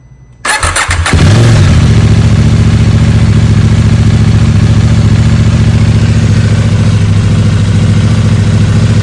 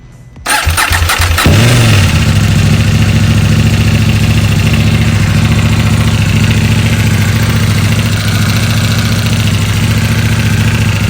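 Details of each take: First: 2021 KTM Duke 890 R twin, about 4,200 miles, after replacing the noisy factory cam chain tensioner: cranks, fires and settles to a steady even idle with no ticking or rattle; sounds much better, chain kept in check. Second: 2021 KTM Duke 890 R, about 4,200 miles, regular oil changes, tracked a few times; cold start then lumpy idle with metallic rattle blamed on the factory hydraulic cam chain tensioner, before tensioner replacement.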